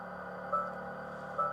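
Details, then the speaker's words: Ford Maverick Hybrid pickup running silently electric: steady synthetic hum from the pedestrian warning sound, changing when a gear is engaged and adding two short beeps about 0.85 seconds apart in reverse; turns off in park. Normal. "Então esse ruído ficar presente para avisar as pessoas e quando você engata a ele muda"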